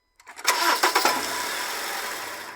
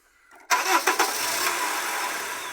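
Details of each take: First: Honda CR-V makes a sharp metallic bang, like iron hitting iron, as the engine cranks and catches, then idles calmly; caused by a worn gearbox (transmission) mount, and the noise disappears when the mount area is shimmed. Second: Honda CR-V that bangs on starting, cranked with a jack propping up the transmission: brief crank, then it catches and settles into a smooth idle with no bang or clunk; propping the mount stops the noise.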